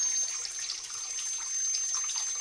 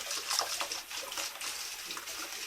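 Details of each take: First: Old Grohe Grohmix thermostatic mixer tap set to 50°C with instantaneous boiler: thin steady high whistle over running water, before cartridge disassembly. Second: Old Grohe Grohmix thermostatic mixer tap after cleaning the cartridge, water at 38°C then 60°C: smooth, even rush of water with no whistle; the whistling is gone.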